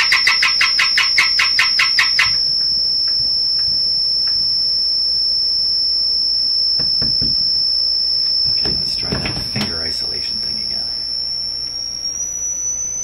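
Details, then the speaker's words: DeForest 10DA517 AM tube radio with glass tubes instead of specified metal ones: piercing steady squeal with clicks from prodding, creeping up in pitch; one of multiple oscillations, cause not yet found. "so there's multiple oscillations in this radio and there's the one you can hear the high pitched garly thing"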